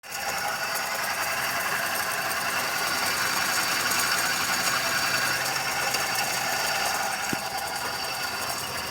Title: Bad engine Sound of celerio 2012.. what to do pls?